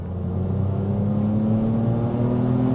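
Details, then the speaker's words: Ford Mondeo ST220 3.0 V6, abandoned about six months, on a road drive: smooth, even drone rising steadily in pitch as it pulls under load, no misses or odd noises; healthy normal acceleration. "they do get up and go don't they"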